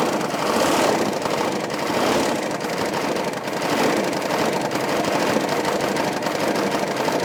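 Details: K3500 6.5 L diesel idling with no throttle input: rough, uneven knocking rattle with surging; 45 psi oil pressure cranking, smoke puffs, blow-by and a rising oil level; owner suspects a cracked piston, spun bearing or head gasket.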